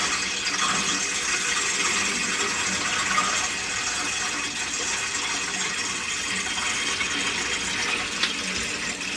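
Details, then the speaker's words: Open-vented central heating system being refilled during a powerflush, after confirming the cold feed is free: steady rushing, gurgling water with a rattly edge as air works its way through the pipes. "not sure you hear the air rattling through that now"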